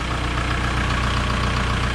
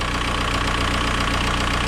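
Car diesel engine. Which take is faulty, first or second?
second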